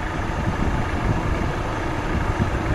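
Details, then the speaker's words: Chevrolet Aveo idling with A/C on, fan relay reinserted after removal test, fuse replaced; even airy rush of the electric radiator fan over steady idle; fan running normally. "vamos a meterlo otra vez el relay lo metemos otra vez que viene siendo el de ventilador tiene que prender otra vez el ventilador Bueno ahí prende otra vez"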